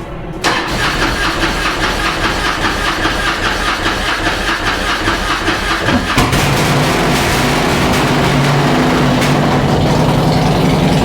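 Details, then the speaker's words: Harley-Davidson Road King after cam install, first start, not yet tuned for new cams, long unrun and oily, sounding a little rich: cranks, catches, fast busy idle with light steady valvetrain clacking expected to quiet down. "we're going to start it up and we're we we know the valve train is going to be a little clacky first that's what we were told we were told"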